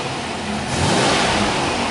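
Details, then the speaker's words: Car in a shop class, started after the manifold air temperature reading corrected to 77 degrees: engine picks up cleanly into a smooth, even rev with no stumble; it sounds better than before, with mass airflow reaching 46 g/s. "go start it up [Applause] there we go sounds good it does sounds better than it did it's not as"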